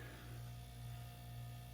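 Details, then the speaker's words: 1939 GE flat-top refrigerator after replacing the broken original compressor with a modern compressor: quiet, steady low hum with no clicks or rattles, cycling on and off; compressor running normally. "seems to be working just fine so very happy I was able to get this thing going again after having that bad compressor"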